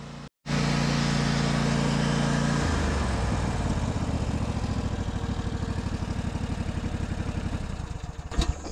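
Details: Craftsman DLT 2000 riding mower with blown Kohler Pro 20 V-twin replaced by Harbor Freight Predator 708cc engine, after rewiring: catches after a brief crank on the switch and settles into a steady, even thump, no misses or knocks; healthy running.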